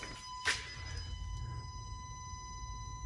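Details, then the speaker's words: Maslow M2 CNC mounted to a workshop ceiling, idle: steady thin high-pitched whine with a faint low hum that never stops; the stepper motors holding position, normal. "you hear that really annoying buzzing sound yeah that's the motors uh they do that all the time and they never stop so if you buy the cnc get used to that sound"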